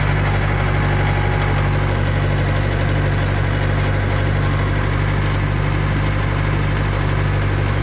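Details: Old tracked loader diesel idling after start-up and being given some fuel: deep, steady idle with an even low thrum and no knocks or misses; healthy idle.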